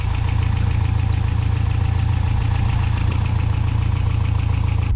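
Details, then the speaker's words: 1992 Toyota pickup 4-cylinder at warm idle with thermostat open after the header install, header paint burning off. Steady light tick about four a second over an even rumble; source unconfirmed. "It still just sounds like it's got a little like tick, tick, tick to it"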